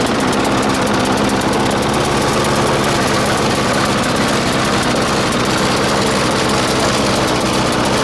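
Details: 1996 Murray 20-inch mower, Briggs & Stratton 4 HP single-cylinder, cold start at 3 °C after 10 months sitting: steady but ragged, uneven running with faint knock; owner says not getting enough fuel; different idle spring fitted, may need adjustment.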